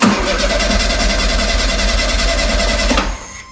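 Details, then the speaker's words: 1972 VW Super Beetle stored about 20 years, wheels off the ground and the fuel line disconnected: even cranking about four beats a second without firing while the pump pushes out brown stuff, not yet fuel; cranking, no start. "okay it's pumping but it's uh brown stuff it's not fuel yet"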